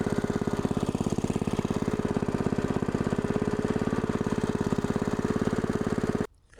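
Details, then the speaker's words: Log splitter's fairly new small engine after a second carburetor cleaning, shut off and restarted to confirm it cranks back: steady single-cylinder putter at constant speed, no misses or surging, then cuts off cleanly; running fine. "I had to cut it off to see if it had crank back you know what I'm saying oh yeah that's what we want right"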